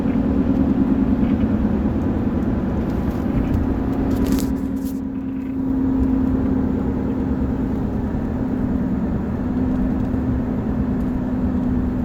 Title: 2013 F150 buzzing noise at instrument panel or steering column